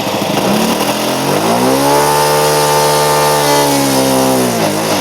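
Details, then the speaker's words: OS FS-91 Surpass II glow four-stroke with 15x6 prop and 10% nitro in a Super Chipmunk, test run after a crash repair: the buzz climbs, wavers high, then sags and dies; suspected too rich, later found a self-turning high-speed needle and leaking tank. "I wonder if we had it too rich for this the temperature"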